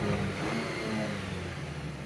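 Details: 2015 Jeep Patriot 2.4L 4x4, 82,900 miles, after fix for U0401 code, idling about 1,200 rpm in open loop (previously 1,500-2,000): quick clean rev picks up crisply and settles without lag; throttle responding properly.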